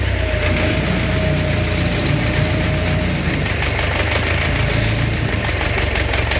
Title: Стук в двигателе